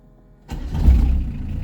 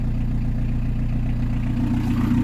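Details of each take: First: PSA XUD diesel converted to an in-line 4M injection pump, still on the original Daewoo Lublin pump settings with a 0.44 Bosch lift pump and a 141-tooth ITHDI belt. It starts on the first turn and settles at once into a low steady rumble. A normal quick start. Owner suspects the alternator is failing. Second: PSA XUD diesel converted to an in-line 4M injection pump. Steady clatter with slow, even firing pulses at idle. It runs better with a little throttle. Low idle speed.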